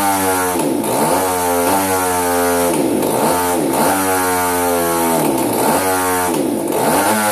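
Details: Hobbyking RCGF 30 twin engine running at high pitch but stumbling, speed dipping about every second; misfiring from faulty ignition.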